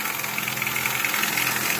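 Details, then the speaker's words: Nissan Altima 2.4 idling: busy metallic chatter high over a steady low hum; customer also reports coolant consumption and spark plugs were found wet; timing chain or cam issue suspected, cover must be removed to determine cause. "el aceite será cadena de tiempo serbes de levas no lo sabemos hay que destapar"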